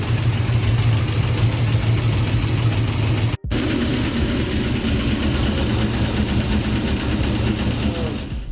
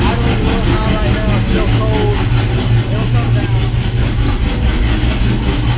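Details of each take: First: 6.0 V8 swapped truck with BTR Truck Norris cam: loud, heavy idle with hard, fast tapping riding over it, mistaken for rod knock, but caused by a failed lifter. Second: 6.0 swapped Cateye truck with BTR Truck Norris cam, after replacing lifters with drop-in lifters: loud, steady, deep idle with even beat and no ticking; earlier lifter noise at driver's side first cylinder is gone, sounds healthy.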